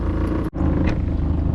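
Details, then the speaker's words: 60hp short-shaft Mercury four-stroke outboard on a 1977 17ft J-Craft, unused for about 8 years, cold start; it still doesn't shift: low, even rumble catches and runs smoothly after one brief dip, no misses or knocks; normal cold start. "I know there's a lot of people that hate on four strokes, but show me any two-stroke that can cold start in gear like this."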